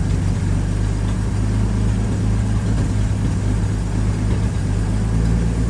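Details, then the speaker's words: Carbureted project car idling smoothly and evenly after fuel pressure regulator work and adjusting the idle screw down from too high; deep steady idle with no dips, idle screw area still leaking; normal idle. "dang listen to her purr I think we're in a much better place"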